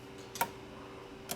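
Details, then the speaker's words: Chevrolet Traverse after a P0449 EVAP vent valve control circuit repair, vent solenoid commanded on and off by scan tool: two sharp, clean ticks about a second apart; the solenoid works and the code doesn't return. "the soleno is clicking so our solenoid is somewhere up here I'm gonna turn it on and off with the scan tool so just listen to that clicking noise"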